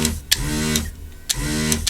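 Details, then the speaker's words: Vacuum desoldering tool, just cleaned and fitted with a new tip after the old one split: even half-second pump hum bursts with a click at each switch-on, sounding clear and sucking well; normal operation. "That sounds nice and clear, sucking well."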